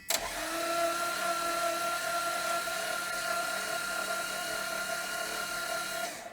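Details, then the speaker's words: 1980 Dodge Power Wagon that sat 20 years, previously seized, oil sprayed into the cylinders, distributor not yet installed: starter spins the engine slowly and evenly without catching; slow cranking, engine now freed up. "It's spinning about as fast as it was. At least it's freed up."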